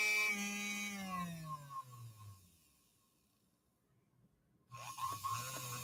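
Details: Second Featherweight motor tested for comparison: high whine coasting down smoothly, then even hum on restart; slightly less power than the motor just brought back to life; runs normally.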